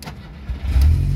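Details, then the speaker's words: VW Gol 1.0 MI after repairing a wiring harness burned from bad installation and reconnecting the dash: short crank, then catches and settles into an even low idle; normal start (oil light stays on from a faulty pressure switch). "Mas o carro, ó, tudo funcionando direitinho."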